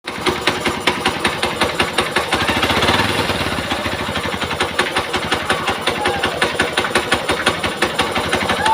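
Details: Xpulse 200 4V BS6 single-cylinder engine running: sharp, fast ticking rides steadily over the engine at roughly three beats a second; abnormal mechanical noise, cause undetermined.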